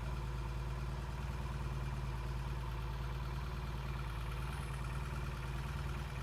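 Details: 1968 Triumph T100C twin at warm-up idle after a cold start: deep, even burble with no ticks, knocks or stumbles; healthy idle, good oil flow and breather vent, no leaks, charging okay.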